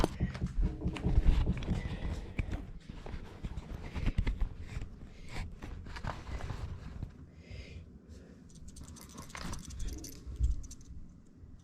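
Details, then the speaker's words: Removed fridge start relay shaken after plug-in test shows it broken: irregular loose clicking and jangling of internal pieces, unlike a new relay; relay being replaced. "because that noise it rattles and then one this is a new one it does not rub"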